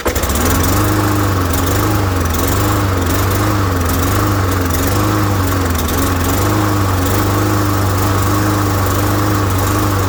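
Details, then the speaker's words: Murray Black Max mower with a Briggs & Stratton E450 engine, air filter removed, running on sprayed starting fluid: steady and even with a slightly wavering note. Spark, compression and air are fine, so a clogged carburetor fuel jet is almost certainly the fault. "So as always, 99.9% of the time, it's a clogged fuel jet, almost certainly ins"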